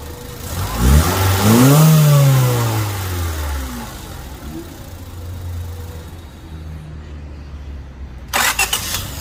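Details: Honda Civic 1.7L after crimping the S-terminal wire snug: engine cranks briskly, catches at once and settles into an even, smooth idle with no knocks; no longer a drag start, starter sounds different, possibly a different starter brand.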